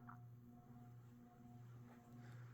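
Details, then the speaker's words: Hampton Bay Grayton II 42-inch ceiling fan on low speed: quiet steady low electrical hum with a faint higher overtone over the motor whir; the owner suspects these fans tend to hum, likely from poor build quality. "so as you can hear pretty noisy for some reason I think all these great twos have a tendency to make an electrical hum to them like"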